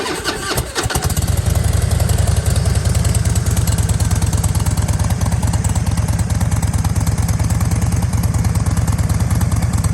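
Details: 2007 Thunder Mountain Keystone Softail chopper, 103ci Screamin Eagle Harley engine, about 1,500-1,788 miles; it catches right away and settles into a deep, steady potato-potato idle with even firing, healthy.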